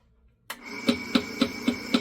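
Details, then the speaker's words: Sirman Palladio 300 belt-driven meat slicer, blade cover removed: steady motor hum with sharp even tick about every quarter second while running; belt suspected worn and about to break, not confirmed; rhythmic ticking. "the issue you the customer is that it makes a ticking sound when it's running"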